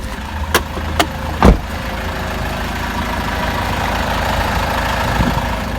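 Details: Cold-start engine knock on a Peugeot Boxer 2.2 turbo diesel at about 426,000 km: three sharp knocks in the first seconds, then steady idle clatter; owner suspects a weak component that knocks out valve collets, not confirmed.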